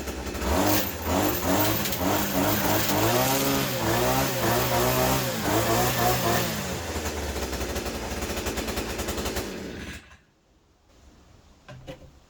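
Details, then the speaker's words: Hyundai 50cc petrol two-stroke brushcutter/strimmer, new and just assembled, fuelled, primed, choke on: cold start catches within a pull or two and runs on with a busy buzz before shutting off; normal healthy cold start. "There you go. Started straight away."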